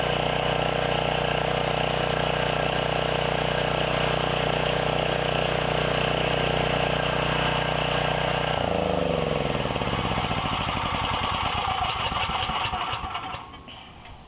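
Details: Briggs & Stratton generator, single-cylinder, no-start after sitting 6+ years, now with replacement carburetor, custom air filter, full tune-up, throttle set for 122 volts: runs steady and even at a fast regular beat, then drops away at shutdown; healthy.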